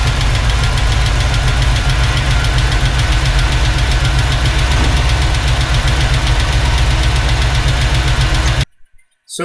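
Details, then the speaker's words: 1986 Chevrolet C10 with Gen 6 454 big-block V8 at idle, before roller rocker install: fast light ticking over deep steady idle; rocker arms out of adjustment letting valves tap. "pretty clear and easy to hear the tapping noise so what you see me doing now is i'm going to be checking both sides to figure out exactly which cylinder it's coming from"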